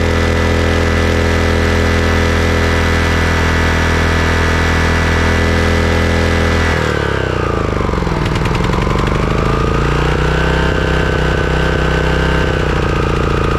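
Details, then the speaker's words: Craftsman riding mower engine after replacing completely clogged carburetor that caused surging: steady even note, throttled down and back up smoothly with no hunting or surging; normal running. "okay well it looks like it was the carburetor all along"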